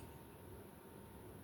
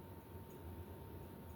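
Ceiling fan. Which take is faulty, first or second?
second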